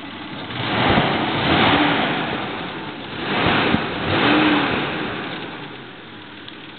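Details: Toyota 3VZ-E V6 after rebuild, about 15 miles on the motor: smooth idle with two clean revs up and back down, with no knocks or ticks. Normal idle and revving.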